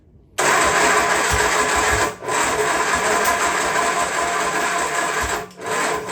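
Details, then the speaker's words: Freshly rebuilt Triumph Spitfire engine on first start: starter churns, then twice drags and stops hard as if hitting a wall; ignition firing too early, so timing must be retarded. "You hear it hitting? It's because it's firing too early."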